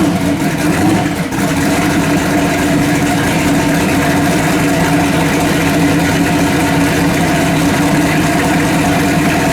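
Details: Finished S10 race-truck V8 on solid mounts, with a faulty MSD ignition box causing rough running and no-starts due to be replaced: a steady, even idle with no misses or stumbles.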